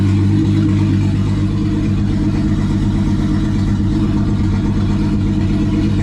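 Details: Rebuilt turbo VR6 with an open throttle body tied together to get it to idle: low, even rumble that settles toward idle without stumbling, engine now running smoothly.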